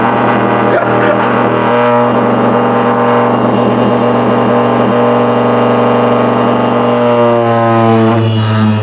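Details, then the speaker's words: Late-1990s Seagate Barracuda 7200 RPM SCSI server hard drive turned sideways: loud steady hum with droning buzz as the drive shakes badly, much louder sideways; drive judged likely not working. "Okay, so I don't think putting it sideways is a good idea because I'm gonna get a noise complaint."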